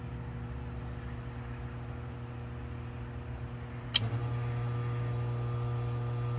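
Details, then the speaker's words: 2015 Frymaster FPEL314CA 208 V three-phase electric fryer after replacing the stuck heat contactor: steady low hum, one sharp contactor click, then an even hum as it cycles normally and the temperature rises. "And I think the problem is solved, and the fryer is cycling. As you can see, the temperature is going up."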